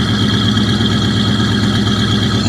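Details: 1973 Buick Regal, abandoned for about 13 years, cold in blizzard conditions and low on transmission fluid: an even, steady idle with a smooth regular pulse and no knocks or misses while the V8 warms up.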